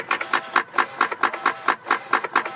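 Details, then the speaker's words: 2004–2008 Ford F150 with a no-crank or died-out fault, P1233 code and flashing theft light; key on, heard in the engine compartment: sharp, even clicks about four a second. The throttle body cycles; the IMRC motor also cycles. "and the biggest source of the noise is the actual throttle body so you disconnect the connector right here right here and that'll stop"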